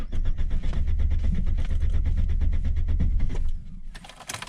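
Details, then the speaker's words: Car in Yakutsk after a night near −50 °C (now about −45) under a portable tent garage on mains power: rapid starter cranking for about three seconds, the engine doesn't catch first try. It started quicker the day before. "Нет. Не хочет сразу. Вчера быстрее завелся, кстати."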